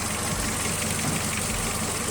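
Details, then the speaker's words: VW Jetta after repair: fault code still stored but idle now smooth and stable, steady low hum with no hunting or stumbling; normal idle after repair. "the fault code is still there, but you can see that the engine is not doing rough idle, and it's pretty much stable."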